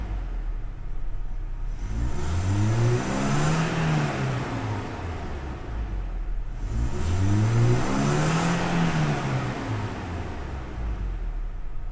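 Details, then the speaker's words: Toyota Innova engine that earlier idled roughly with a sputtering "brebet" and wouldn't rev past 3000 rpm (air flow meter suspected), now revs smoothly to 6000 rpm through two clean sweeps after a used replacement part is plugged in; normal free revving. "ya kita mau enggak kita gas nih oh mau digas ya Oh RPM 6000 mau dia tadi enggak mau ya"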